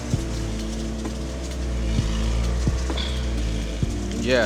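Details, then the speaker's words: Cheap Honda hatchback with aftermarket blue-filter air intake, after cold start: steady low engine drone with a few sharp knocks; not the most perfect running car, no specific fault identified. "So, that's a little cold start right there. Like I said, not the most perfect running car, but hear out the engine sound."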